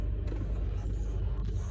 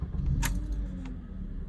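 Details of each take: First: 2009 Honda Accord four-cylinder idling with uneven, stumbling pulses after a long crank; cylinders 2 and 3 misfire counts (P0302, P0303, P0300) caused by an aftermarket starter disrupting the crank signal. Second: 2009 Honda Accord 4-cylinder with P0300/P0302/P0303 misfires after an aftermarket starter; after clearing codes and the CKP relearn: steady even idle, misfires on cylinders 2 and 3 gone, check engine light off.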